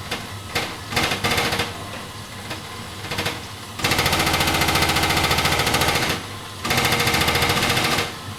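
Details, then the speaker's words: Vokera Linea 726 boiler on hot water and radiator, hot tap opened: loud repeated rattling bangs in bursts as the burner tries to light, then settling as it fires; no pressure change, hot water arrives, cause unknown. "as you can tell the banging noise occurred there's no pressure changes and the boiler seems to have now fired up"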